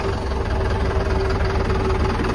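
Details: Mercedes-Benz Vario diesel with a new Winston lithium 40Ah 24V starter battery fitted: smooth, even idle with a steady low rumble and faint constant hum, no irregular knocking; normal idle.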